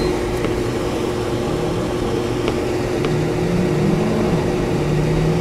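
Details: Whynter ARC-14SH 14,000 BTU portable air conditioner in fan-only mode at low fan speed, about 65 dB at full fan: soft, steady airflow hum with a faint motor tone, no rattles or scraping; normal fan operation.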